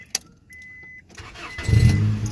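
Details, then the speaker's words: 1998 Honda Accord with a delete, warm engine idling real quiet, low and smooth with a nice little rumble, no knocks or ticks; barely audible once warmed up; normal idle. "it sounds good with a delete see you guys can hear it's real quiet idling here"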